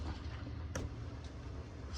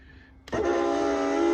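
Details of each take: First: Van bed lift after rubbing wax onto the lift straps: low steady motor hum and one soft click, no squeak, super quiet going up and down. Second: Euroloft lift bed in a Jayco van: a sudden sustained squeal with many stacked overtones starts as the bed lifts, from squeaking lift straps, before rubbing on ski wax.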